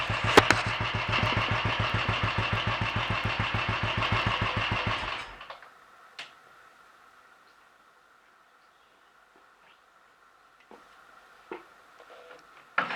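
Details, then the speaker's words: Royal Enfield 500 single after full engine rebuild (new mains, forged steel conrod with roller big end, forged piston, alloy barrel) and minor adjustments: starts promptly, settles to an even steady tickover with no misses, then shuts off; normal idle. "that seems to be running well enough sounds happy enough we life and it's ticking over nice and steady starting easily"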